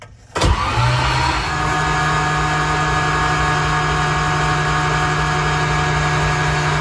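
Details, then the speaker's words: Datsun 280Z GT2 barn-find race car, first cranking in many years with spark plugs removed, ignition off, oil sump freshly filled: strong starter spins the engine steadily with no catching or grinding while oil pressure builds toward 62 PSI. Normal cranking. "There we go. The oil pressure is starting to come up."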